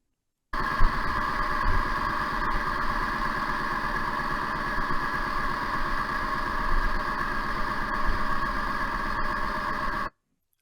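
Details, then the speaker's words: Ford Ka on road test, NVH sensor recording on the left front (channel A): steady road rumble with rhythmic wow-wow pulsing about four beats a second from a worn front wheel bearing, to be replaced; right front quieter. "I think we can agree if you're listening on headphones that wow wow noise is crystal clear on the left-hand side which is channel a"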